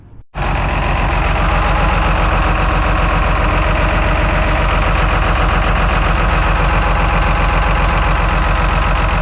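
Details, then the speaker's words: John Deere 724J loader common-rail diesel at idle, heavy uneven stumbling beat suggesting a misfire on one cylinder; injector wiring found worn where it rests on a component, rail pressure sensor wiring tight; fuel leaks also reported. Cause suspected, not confirmed. "Um, we definitely had somewhat of a misfire going on there."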